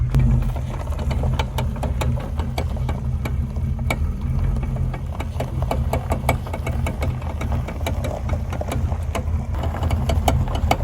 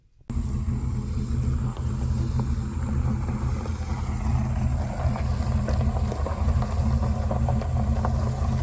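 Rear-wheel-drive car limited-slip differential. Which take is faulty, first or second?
first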